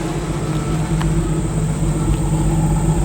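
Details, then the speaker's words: 1958 Chevrolet Biscayne survivor, 235 CI inline six, automatic, under 40,000 original miles; steady, even low idle with a smooth regular beat, no knocks or misses; normal idle. "Terry, can you step on the brakes for a second? Sure. Give it a little rev. Nice."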